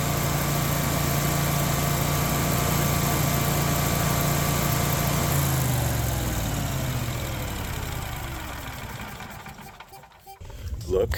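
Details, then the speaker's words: Generac whole-house generator, after fixing an oil leak that had triggered a low-oil shutdown and replacing a popped fuse, runs steadily with an even low hum, then winds down; healthy running. "at that low oil pressure oh heck yeah we're in business now I can fire it up get the oven warming up and get our ham in there"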